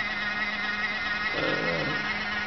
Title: Xbox 360 slim PSU making noise (fan)